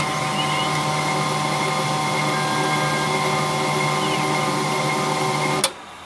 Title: HP LaserJet 1022 squeaking sound